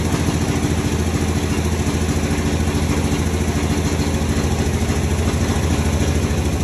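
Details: 1961 Dodge Power Wagon with a tired Poly 318 V8, first run on gas bottle to the carb after coil/wiring work: steady, even low rumble with regular firing beat, no misses or knocks, running on all 8 cylinders; normal idle.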